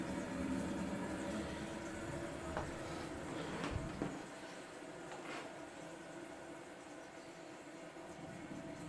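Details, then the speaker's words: Kohler toilet with a Fluidmaster 400 fill valve: a steady water hiss with a few gurgles, easing after about four seconds, as the tank keeps refilling; a leaking fill valve seal is suspected. "does your toilet run and you really don't know why or do you sometimes not catch it running or is your water bill too high and you don't know why"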